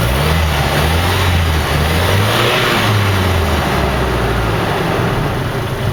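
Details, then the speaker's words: 1987 Nissan Vanette van, microphone under the vehicle: smooth even idle rising cleanly when revved and settling back, no knocks, ticks or misses; healthy. "bit so you know it's just a regular car just a regular Nissan doesn't seem to have any leaks on it"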